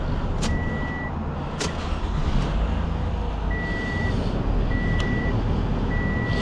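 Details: 2017 Toyota Camry, key off and out: steady low idle continues under a repeating warning chime, with no power steering; suspected faulty connector under the seat to be bypassed, fix not confirmed.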